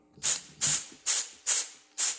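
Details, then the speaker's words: P7100 injection pump being spill-port timed for a P-pumped 6.7L Cummins, with about 120 psi of shop air applied while the gear is turned. Five short air bursts fading quickly. Spill port closure. "I just put like 120 PSI to it. So, that's port closure right there."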